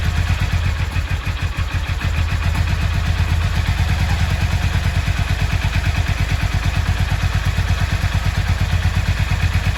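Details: Yamaha XV 535 Virago V-twin, laid up about 10 years, just started with 12 volts fed directly to the starter: steady even thump, picking up revs cleanly, no knocks or misses; runs healthily.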